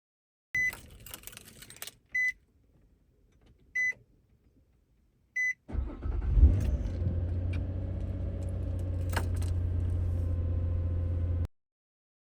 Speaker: as we saw, no clicking, started right up, which is what you want it to do.